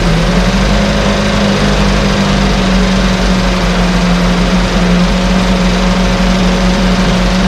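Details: 1968 Evinrude Fastwin outboard, bought and only set in a test tank with no repairs, out of gear with no load: steady, even two-stroke buzz at a constant pitch with no misses or knocks; no cold-start cough, Sea Foam in the fuel cleaning it out. Normal idle.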